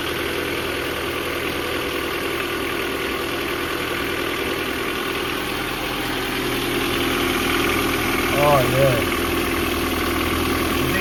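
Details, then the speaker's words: Nissan D21 truck, cold engine at idle; light, fairly regular tapping about three per second over the hum; owner suspects a lifter or rocker arm at the top end: valve train tapping, unconfirmed. "definitely a lifter arm. It's coming from like right over here."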